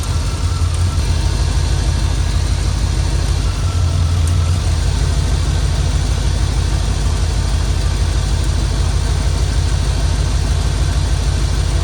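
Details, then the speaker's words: Prism Supply 4x4 van V8, rough only at low rpm: uneven, stumbling low thump at idle with a beat dropping out now and then; a burnt-out spark plug wire, probably arcing against the exhaust manifold, causing a misfire. "I found some of the problem. That right there is burnt out. So it's probably been arcing against the manifold."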